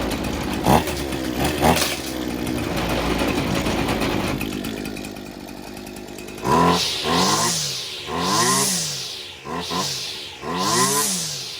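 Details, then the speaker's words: Husqvarna 225L two-stroke string trimmer that would not rev up: after restart it idles, then four sharp throttle blips climb and fall cleanly, running better than before; owner suspects a fluid-soaked, restricted filter, cause unconfirmed. "you that right there is running better than it did the other day. So I'm just wondering if maybe this fuel filter is restricted."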